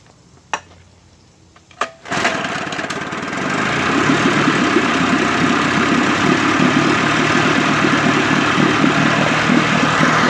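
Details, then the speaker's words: 1958 Evinrude 18HP Fastwin two-stroke outboard, replacement powerhead, new rings and plugs, mixture and mag-to-carb synchronization adjusted, 30-weight oil mix: two pull-cord tugs, catches at once into an even, steady burble; normal start and idle. "The mixture controls, double check my synchronization on the mag plate to the carburetor linkage, and it runs pretty good right now. So now I'm going to start it up, see if it starts right up."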